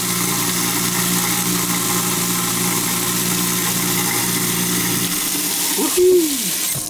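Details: New InSinkErator Badger 1/2 hp garbage disposal, test run after installation: steady motor hum with running water for about five seconds, then a clean wind-down; runs smoothly, no rattle.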